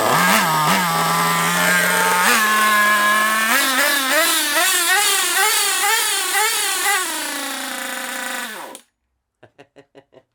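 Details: Kyosho MP9 nitro RC buggy engine, first start after sitting 2 years: a high-pitched scream, then surging and hunting with wavering pitch before cutting out, sounding lean. Owner suspects a fuel blockage or a poor fuel tank seal.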